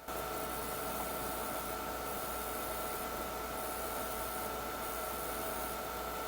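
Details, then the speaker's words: PowerMac 7500 after its motherboard was washed: steady hiss with a thin high whine heard through the speaker, cutting in and out when the mouse is moved; electrical noise from the speaker, owner suspects a voltage regulator issue. "when I release and move the mouse around again there it goes again it's very possible that there's an issue with some kind of voltage regulator"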